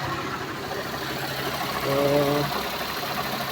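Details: Suzuki Multicab (DA64V/DA64W/DA17V/DA17W series) small petrol engine at idle after its hose was rearranged; it starts on one click and has a soft, steady, low hum with no knocks or ticks. No leaks underneath, so a normal healthy idle.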